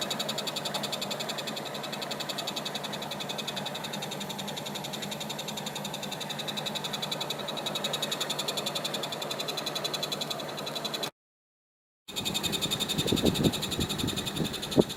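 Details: Daikin air conditioner in heating mode: a fast, cricket-like ticking chirp over the fan hum, with sharper squeaks and squeals near the end; abnormal noise.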